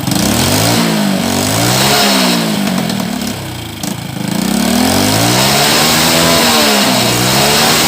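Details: Old Honda Supra X 100cc with new block, possibly aftermarket (non-original): harsh metallic clatter as revs rise and fall, very rough and noisy, suspected cam chain; smokes when throttle is opened, valve seals and block to be checked.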